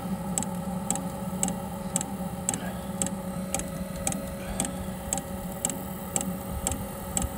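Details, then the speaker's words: Espar hydronic coolant heater on an International truck, suspected to have debris chunks inside: after the igniter works it fires, giving light, fairly steady ticking about twice a second over a low hum; running normally. "yep it's fired alright victory"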